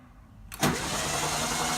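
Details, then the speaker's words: VW Beetle after 30+ years in storage, cranked for a compression test with carb and fuel pump removed: quiet, then a steady churning starter drone that never catches; cranking, no start. Number one cylinder read about 170. "I got no carb I got the fuel pump off or got a crank it right now and see what kind of compression we got"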